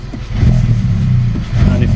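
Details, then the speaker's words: VW Polo 1.2 TSI R Line, 105,000 miles, before repair, no error codes, runs rougher when warm; revs climb, hang, jump and bog instead of settling, owner suspects a faulty throttle body or vacuum leak. "normally it sticks around about the the throttle party I think might be at fault could be a vacuum leak like I said but it does is stick the revs do stick and jump"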